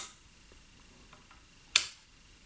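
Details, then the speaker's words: 1990 Cagiva 750 Elefant motorcycle with the old instrument panel plugged in; two crisp clicks about a second apart as relays pull in cleanly when lights switch on, normal relay operation. "I'll just plug in the old instrument panel now to see if everything works well not much happened but you can see here and maybe you can hear a clicking sound from the relay"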